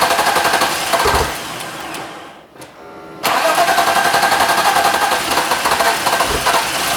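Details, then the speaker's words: BMW E39 520i with stock M52B20 engine on a newly installed Speeduino MAP-based ECU on its base tune, first start: catches after a brief lull, then settles into an even, quick pulse at steady pitch. Normal idle. "yeah it now runs on speeduino."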